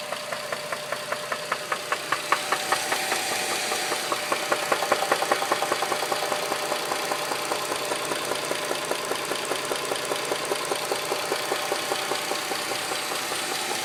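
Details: 2007 Dodge Charger 2.7 idling with a loud, sharp knock about 2.5 times a second after running out of oil on the interstate; new lash adjusters, an engine clean-out, plugs and valve cover gaskets didn't fix it. Cause not confirmed.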